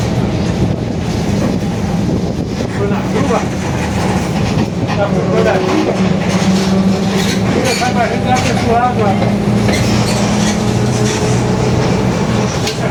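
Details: Marcopolo Torino S 2018 body on 2021 Mercedes-Benz OF-1721 BlueTec 5 diesel city bus, while moving: a steady low drone humming under engine and road noise, from a growling differential.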